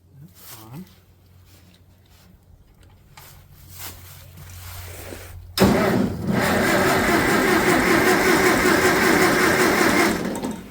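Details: Farmall 400 tractor that starts on choke but won't run off choke (owner suspects air leak), about 19°F, during spark-plug checks: engine fires and runs unevenly about four seconds then cuts out abruptly; stalls after starting, cause unconfirmed.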